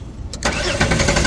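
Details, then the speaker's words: Jeep Wrangler Sport that suddenly died on the road, check-engine light on while cranking: starter cranks steadily with even pulses but the engine never catches or fires; a blown fuse was later found. "अभी crack हो रहा है लेकिन start नहीं हो रहा है"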